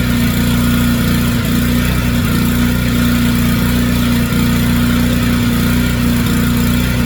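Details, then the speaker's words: Generac 3500XL generator after replacing a faulty low oil pressure sensor that was always activated: steady, even hum at constant speed with no surging, knocking or dropouts; runs normally. "All right, guys. So, I got that in there. I did just turn it on and it ran awesome."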